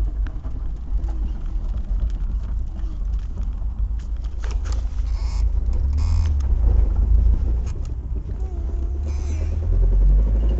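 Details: Fiat Spider heard from inside the car while coasting, louder on letting up the clutch: heavy low drone from the rear with a faint whirring tone toward the end; rear end noise.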